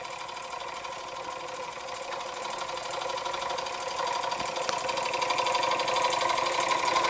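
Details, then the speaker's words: Weeden 648 model steam engine with fitted Jensen electric heating element, heated about 4–5 minutes, no governor yet: light quick even chuffing about four beats a second with faint hiss; running smoothly. "I still need to get the dummy governor for it, but yes, there we have a Weeden 648 steam engine with a Jensen heater, which seems to work quite well."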